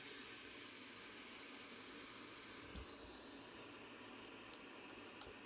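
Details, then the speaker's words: Sony CRF-320 32-band receiver under restoration, on long wave with a mini-whip antenna in the external antenna socket: faint, steady hiss with no crackling or dropouts; the long wave section works normally. "last night I was was picking something up on Long wave quite normal that I wouldn't pick it up now but it's also working"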